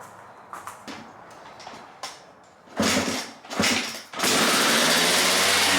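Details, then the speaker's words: 1997 Suzuki RM250 two-stroke, choke on, idle screw backed out: fires in ragged bursts then screams into a steady high rev that won't drop; owner suspects carb, possibly needle installed wrong on slide; high runaway idle. "That was scary, guys. Idol went crazy, but she ran. I had the choke on."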